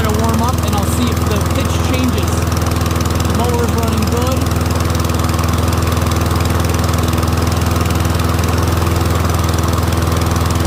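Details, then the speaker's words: Troy-Bilt Briggs & Stratton rear-wheel-drive mower after ultrasonic carb clean, warmed up with smoke mostly cleared; steady even single-cylinder putter, no misses, surging or knocks; running healthy. "Seems to be running pretty good though."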